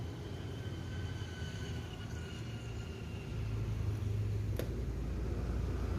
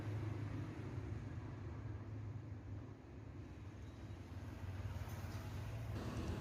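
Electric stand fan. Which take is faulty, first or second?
first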